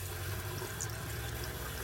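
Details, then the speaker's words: RV water pump after installing an IRVWPC2 controller set to about 50 psi (factory 30 psi), faucet at full flow: low, steady hum under rushing tap water, no surging or pulsing; quieter and smoother than before, normal running. "Still a lot quieter. But at full bore, it runs still, I think, a little quieter and smoother than normal, because I don't think it's getting to the full 55 psi the pump's capable of."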